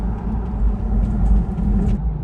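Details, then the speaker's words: Lexus GX470 2UZ-FE V8, driven in drive after sitting about 6 months: heavy low rumble with an uneven, lumpy pulse, knocking and lurching; engine due for replacement, cause unconfirmed. "It's like knocking. See if you can hear it. It like lurches."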